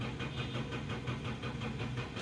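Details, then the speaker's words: 2003 Toyota Corolla XLi, won't start after clutch plate installation, check engine light on: steady even starter churning about five compression beats a second, no catch. "لیکن گاڑی جو ہے نا start نہیں ہو رہی"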